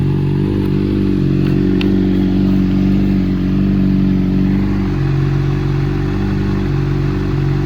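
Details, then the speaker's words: Honda CBR600RR wrecked-bike rebuild, started after sitting with a new battery, previously suspected of being underpowered: even, low four-cylinder hum at steady idle without misses; normal smooth idle. "It sounds pretty smooth."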